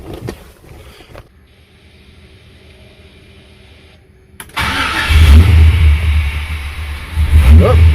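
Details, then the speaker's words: Petrol engine just fitted with a Motion Raceworks throttle body, cold start after a long time sitting: cranks and catches into a rough, deep cold idle, idle air control no longer screaming as before; TPS about 57–61. "for a cold start listen to that the idle air control is not screaming like it was on the"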